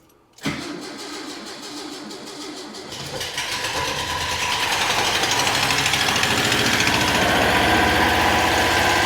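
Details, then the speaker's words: 1966 VW Fastback air-cooled flat-four, newly installed and running on 6 volts, after fixing a distributor set 180° out: catches right away and settles into a quick, even idle with no misses or knocks. "I'm hoping now this will just light off cuz we have spark we have fuel do we have ignition oh that sounds like music"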